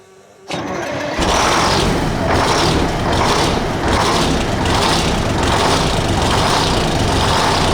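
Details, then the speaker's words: 1975 Freightliner FLT with a Detroit Diesel V12, long-sitting revival, after a fuel system prime and a new injector: it starts up, then runs with a rough, uneven, loping stumble. One cylinder on a bank is dead. "I got to have a dead one on this bank or something."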